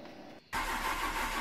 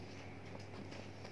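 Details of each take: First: Maruti 800 with a starting problem: starter spins the engine at a quick, even rate for about two and a half seconds, then stops without catching; cranks fine but won't start. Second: Maruti 800 petrol car with a starting problem, after replacing the faulty MAP sensor: starts smoothly into a low, steady hum with an even beat and no stumbling or misfire; normal idle.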